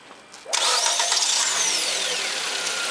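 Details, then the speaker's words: Nissan Sunny with over 200,000 km on Mobil 5W30, inspected after purchase: starts first crank and idles evenly with no misses and the timing chain barely audible, a healthy engine. "Движок работает ровно, цепь практически не слышно. Это очень хорошо. Без провалов, без ничего."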